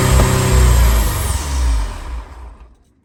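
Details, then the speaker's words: Ferrari 308 GTSi after a new ECU and new injectors, running on fuel squirted in by hand: it catches and revs for a couple of seconds under throttle, then burns the fuel and dies; fuel starvation, cause unknown. "Burns the fuel. Dies. What's going on? Okay, so the car is back together, but clearly we have some kind of fuel starvation issue."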